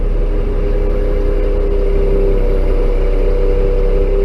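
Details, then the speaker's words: Bucket truck in cold northeast winter, PTO on, cold hydraulic fluid, block heater not plugged in overnight, lifting upper boom from cradle: steady mid-pitched whine over engine rumble as fluid doesn't move adequately through the pump, cavitation risk. "And then at a certain point here, I can almost guarantee you're going to hear this truck whine. And what that is that's the fluid not moving adequately through the pump."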